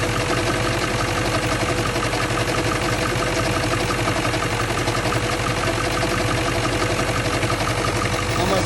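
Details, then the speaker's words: 1997 Ford F-350 7.3L Powerstroke diesel, 164,000 miles, warmed-up idle: irregular intermittent light knock over the diesel clatter, resembling rod knock; traced to a failing alternator bearing, not the bottom end. "we got a little rattle slash knock noise so once it warms up a little bit you'll start to hear it almost sounds like a rod knock but it's intermittent"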